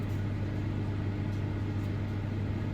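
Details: Bosch Series 4 combi microwave CMA583MS0B, the second unit sent with the same fault: a strong steady low hum with buzzy resonance while heating or cooling down, intermittently loud enough to hear upstairs; a loose internal part resonating, cause not found.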